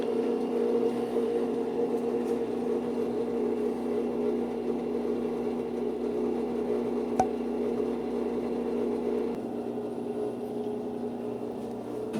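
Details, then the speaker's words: Brastemp washing machine, previously making a rubbing noise on spin, now hums evenly with no scraping after the drive belt was tightened; runs smooth and quiet. "ó lá pessoal era só um aperto na Correia acabou o problema"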